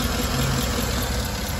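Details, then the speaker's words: 2012 Cadillac Escalade 6.2L V8, running compression test on misfiring cylinder 7: low lumpy stumbling idle, no gauge oscillation, compression below 25 psi; one dead cylinder from stuck-off collapsed lifters, per bulletin PIP 4568S. "and look at this we don't have a compression okay and uh the measure is not is not uh we don't have the oscillation and the compression distance okay"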